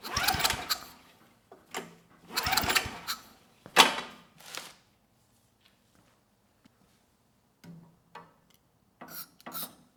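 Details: Early-mid 1980s Fairbanks Ward 2500 W generator, 5 HP Kawasaki FA210D flathead, old fuel left in tank, starting fluid tried: separate pull-start bursts spinning briefly and stopping, no firing beat; won't catch, spark later confirmed strong.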